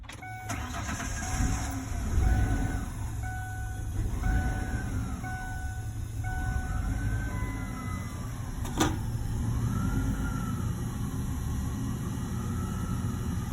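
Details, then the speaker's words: 2002 Ford Explorer 2-door after repairing a fuel pump hose through a cut access panel: engine catches and runs unevenly under a wavering whistle, then dies out. Owner suspects the emission system isn't airtight. "he has something to do with not being airlocked airtight emission systems are a little picky but it's dying out right now"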